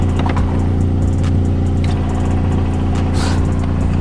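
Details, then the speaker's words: Honda Civic EM2 at idle: a constant light rattle from the transmission bellhousing that stops with the clutch pressed and returns on release; worn throwout bearing, to be replaced along with the clutch, pressure plate, pilot bearing and flywheel. "So the noise is the throwout bearing right there, and you guys can hear it too, that I did press in the clutch and the noise goes away, and then when I released it, it comes right back."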